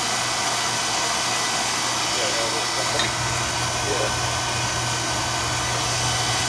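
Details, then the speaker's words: Oil burner on a no-heat callback, after a suspect part was changed: fires right up with no delay, steady even flame roar with no puffing, rumble or surging; running clean. "i should see how it fired right up that's better before it was a little delay before it kicked in"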